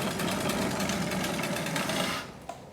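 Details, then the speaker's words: Trek Rail e-bike with noise from the rear end: coarse, gritty rumble and rattling as the rear wheel spins, from badly worn bearings in the rear hub. "so that's that other sound that you can hear uh is basically rumbling of the bearings in the hub you can actually hear it it sounds absolutely dreadful"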